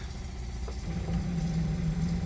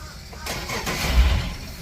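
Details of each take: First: Boat's port Yamaha outboard that won't start: low steady groaning hum about three seconds with no firing; starter dragging from excessive voltage drop, meter showing about 11.5 V, cables suspected. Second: Sportsman boat, port Yamaha outboard that previously wouldn't start: a brief starter whirr, then it fires up cleanly. The starter is good; a cable problem is suspected instead.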